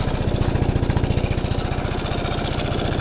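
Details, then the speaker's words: 2017 Piaggio Fly 150 3V ie scooter, cold start test with a very full tank: starts on the first press into a steady, even single-cylinder idle with no hiss or stumble; normal idle, and no vacuum leaks were found. "You can see the scooter starts on the first press, so there's definitely no issue with starting up. Okay, so starts right up, and"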